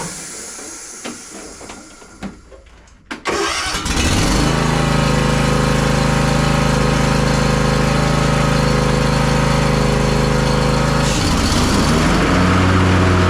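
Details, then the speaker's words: John Deere S240 riding mower that was loud, throwing belts and cutting unevenly after hitting something, tested after deck repair and leveling: a few cranks catch cleanly, then a steady, even hum with no squeal or knocking; now healthy. "This thing's all good to go. I'm going to install this bagger assembly tube real quick, and then we're going to test it out."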